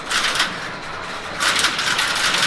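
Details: Working crossbar telephone exchange at Seattle's Connections Museum: two quick rounds of sharp, dense relay clatter with a short lull between. The crossbar switches work normally as a call sets up.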